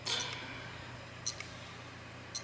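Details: Brand-new eBay hard drive tested cold on another PC: quiet hum with a sharp single click about once a second, not spinning up properly or detected; failed disk.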